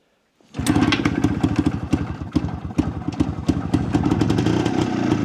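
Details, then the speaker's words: Jawa 250 type 353 two-stroke motorcycle, first start after restoration and adjustment: fires at once and runs with a brisk, uneven popping beat and an odd extra clatter; owner hears a strange noise, source unknown, persists with cover removed. "Joku outo ieni vähän kuuluu tuossa, että en tiedä."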